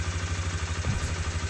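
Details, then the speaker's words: Suzuki Vinson 500 ATV after fuel system cleaning fix for bogging: steady even single-cylinder idle, no stumbling or hunting, no leaks; runs normally with good throttle response. "Engine is running. Nothing is dripping. That's what we're expecting."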